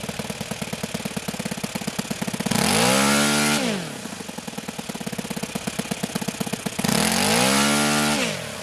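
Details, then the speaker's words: OS FS-91 Surpass four-stroke nitro RC airplane engine after tuning, high end leaned again once cooled: a steady pop-and-cackle idle firing every other time, with clean revs to a smooth high scream. This is a proper four-stroke idle. "and there's that pop and cackle hitting every other time that that typical four-stroke sound that's the sound of a proper four stroke idle"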